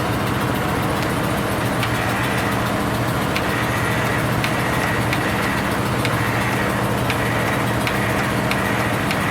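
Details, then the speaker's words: Cold start of a machine with 579 hours, sticky starter and a battery that goes dead when sitting, added fuel pump: steady rhythmic cranking with faint clicks, never catches; cranks, no start. "Seems like every time I want to video this one, it don't start."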